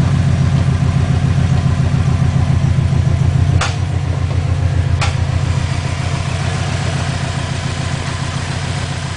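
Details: 2004 Subaru WRX at idle with computer reporting all cylinders misfiring: rough, lumpy idle with slightly uneven low pulses and occasional stumbles; engine misfire, cause unknown.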